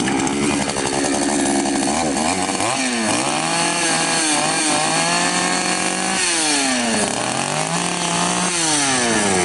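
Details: Patriot 4518 chainsaw after replacing the plastic oil pump drive and refitting the loose oil pump, test start: revs up and down cleanly, smooth whine following throttle, no misfire or rattle; healthy, chain oil now feeding well.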